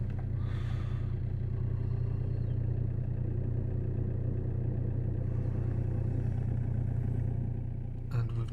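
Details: Vauxhall Insignia 2.0 CDTi diesel after fitting a replacement alternator, whose clutch pulley had locked, and a new auxiliary drive belt, codes reset: deep, steady idle with no squeal, rattle or knock; charging 14 volts.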